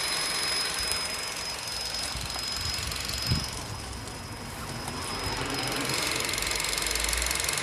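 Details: Vauxhall Astra 1.4 turbo petrol at idle with a thin, steady high-pitched squeal that does not change pitch; owner suspects an engine pulley, not confirmed.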